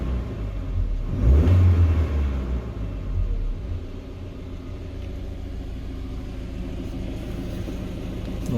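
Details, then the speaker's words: 2020 GAZelle Business, UMZ-4216 EvoTech 2.7, 823 km, heard up close warm at about 90–95 °C after replacing one knocking hydraulic lifter: even, steady, quieter idle with no top-end ticking; problem solved. "двигатель у нас прогрелся температура примерно 90 95 вот уже более менее то есть тише работает уже никакого стука"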